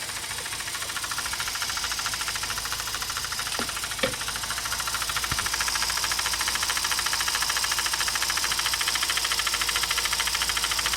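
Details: Mazda RX8 231 bhp at idle with a steady light knock about two per second from the SSV valve; the SSV was removed and cleaned, and the actuator link looks to be the source, unconfirmed.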